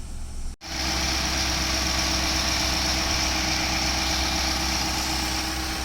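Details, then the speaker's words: 2016 Infiniti QX80 at idle around 1,000 rpm after replacing the fan clutch that kept the fan running constantly. Now a smooth, even idle with a soft steady hum and no roaring fan; the fan issue is fixed. "You can hear that it quieted down now. The revs are all normal."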